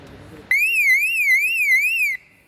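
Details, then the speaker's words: Federal Signal 24 V DC sounder module on test, energised by 24 V on terminal 4: loud high warbling tone sweeping up and down about twice a second, then stopping cleanly; volume is set by DIP switches. Sounder working. "This sounding module start sounding, but I cannot sound it little more because this is some operation things are going on."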